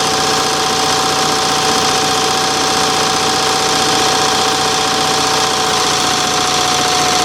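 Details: Revived yard-sale Onan 305 CCK generator, freshly reassembled with a newly painted muffler, warming up: steady, even run with a constant hum and no misses, surges or knocks; the engine is running healthy.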